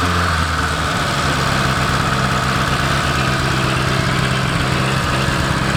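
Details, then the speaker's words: 1980s Rover 213 SE petrol engine in a rusty restoration project, exhaust holed/blown throughout when bought. Steady, even idle with a deep, smooth exhaust burble. No knocks or misses, engine sounds healthy. "Really impressed. It's got quite a nice exhaust note. It was blown when I bought it."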